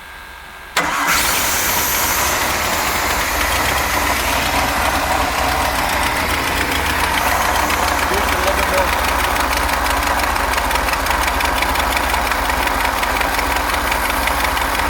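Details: Moomba boat inboard engine: cranks, catches and runs loud and raspy; suspected exhaust leak, unconfirmed.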